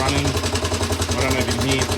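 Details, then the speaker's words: Honda CT110 postie bike engine test on a known-good carburetor: fast single-cylinder beat with a hard, regular knock on every firing pulse. Cam chain already adjusted; the knock's source is still unknown. "it's got a knock in it so in my experience that it could be a few things that it's a little bit noisy"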